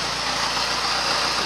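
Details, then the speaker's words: 2004 Yamaha FZ6, about 18,000–19,000 miles, all stock, cold morning start with a little cold smoke from the exhaust: steady even idle with a light hum, no knocks or misses; normal cold idle. "but this is how it should sound it should have a nice little hum to it and yeah they're going to pull kind of fold up a little cold smoke out of the back that's mine"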